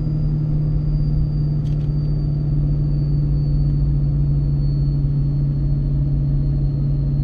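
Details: Ford 6.7 Powerstroke with MPD compound turbo kit, towing its heaviest load yet downhill in second gear near 35 mph on third of four tunes: a deep, steady drone with no surging or flutter as the exhaust brake holds harder than stock. Normal operation.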